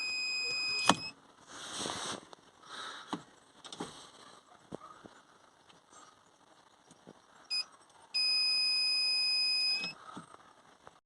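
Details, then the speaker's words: VW Crafter (same as Mercedes Sprinter) after filing the gear selector so it no longer pushes the reverse sensor: short high beeps then a steady tone of nearly two seconds when reverse engages; 2nd-to-1st shifts no longer trigger it; normal. "Now, moment of truth there, into reverse, beep beep beep, yep, from second to first, second, slowly to first, second."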